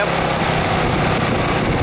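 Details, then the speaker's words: Ryobi 2200 inverter generator at low eco-mode idle under a light load of about 1–1.5 A at 125 V: low, steady, even drone with no surging or hunting; it raises rpm automatically under bigger loads. "it can run at lower RPM and then if I put a a bigger load on it it'll automatically just kick itself"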